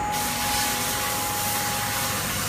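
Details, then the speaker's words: New Way air bearing test rig, thrust bearing used as seal, shaft around 6,000-6,300 rpm heading to 7,500-8,000: smooth airy rush, one clean steady tone, no rubbing or rattle; normal high-speed spin. "6,300 he says you can hear the speed now sounds really smooth at 6,000 6,000 rpm"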